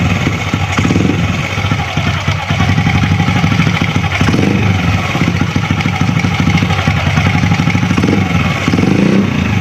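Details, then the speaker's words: Honda Astrea Grand after the magneto cover was opened to fix a crying "nik nik" whine from the magneto area: steady, even single-cylinder putter at idle with no extra rattle or knocking; the noise is gone. "Oke, suaranya sudah tidak ada lagi."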